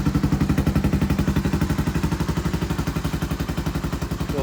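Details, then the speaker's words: Honda Foreman 350 4x4 ATV, rusty rattling muffler rebuilt; exhaust still a little on the loud side, sharp crackling single-cylinder bark punching through the gutted core, so another quiet core is added: loud exhaust from gutted muffler. "little on the loud side last ditch we're gonna add another quiet core"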